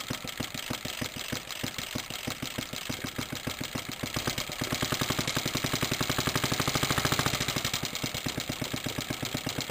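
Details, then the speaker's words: Suffolk stationary engine in a compressor set, first test run after mounting the compressor with a new pulley and a temporary belt. Steady rapid thumping holds an even rhythm and firms slightly as the compressor loads and the tank gauge rises; running healthily. "I can already see it moving the pressure gauge on the tank, so that's brilliant."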